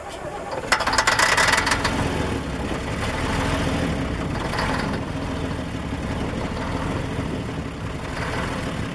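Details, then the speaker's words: 1990 Ikarus 250.95 bus diesel started after ten years standing: cranks, catches after a few rough beats, then runs uneven and lumpy at low speed; hard starting, rough running. "Proovime ühele. Nii kui selle lahti lasin, suri välja."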